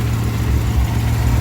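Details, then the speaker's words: 1955 DeSoto with supercharged 392 HEMI V8 idling after carb and timing adjustment, timing about 6–8 degrees: deep steady rumble with faint rise and fall, a slight surge but idling well; vacuum 14–15, fluctuating from blower. "as you can see, it's idling pretty good. It's got a little bit of surge, not too bad."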